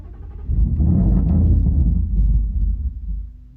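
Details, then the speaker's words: Rebuilt 5.0 Mustang, cold weather, jump pack at 12 volts: heavy labored cranking for about three seconds, turns over but never catches; owner suspects fuel pump or low voltage to the pump starving it of fuel. "now I am thinking fuel pump or something wrong with the voltage the fuel pump's getting cuz obviously it's not getting enough fuel"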